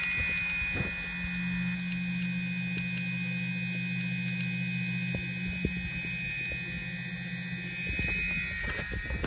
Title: Elev-8 v2 motor clicking sound